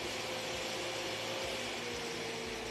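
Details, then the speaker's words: Carico Clean Machine steam cleaner with steam shut off, vacuum switched on and changed speed from the handle button: steady high airy rush with faint even motor tone, no surging or rattles, normal vacuum motor running on high speed. "we'll hold the button to change the speed now we're on high speed"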